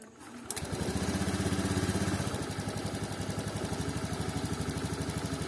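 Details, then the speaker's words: 2019 Honda Scoopy fuel-injected scooter stumbling off idle despite ECM and TP reset and cleaned throttle body: uneven, wavering revs around four pulses a second never settling; worn, flattened TPS plate leaves play, giving discontinuous readings. "sebagian sensor TPS itu ada masalah di bagian sini di mana platnya itu sudah gepeng jadi ada space antara total valvenya yang sini dengan sensornya yang mengakibatkan pergerakannya tidak berkesinambung"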